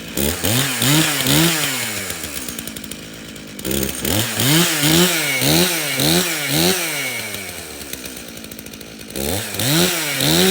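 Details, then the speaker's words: Stihl chainsaw from a customer's three no-start saws, run on the customer's own fuel, which had some dirt in it: two-stroke buzz through repeated blips with clean, even firing and quick throttle response. It runs fine. "okay well this thing starts and runs we can take a quick look at his air filter"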